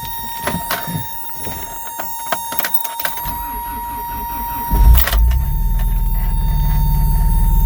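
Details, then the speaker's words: 1988 Toyota 4x4 pickup, 22RE engine, 5-speed, cold start in snow: brief cranking, catches and settles into steady even low idle, no knocks; clean cold start. "let's go see if i can start this thing so yeah good cold start video for sure"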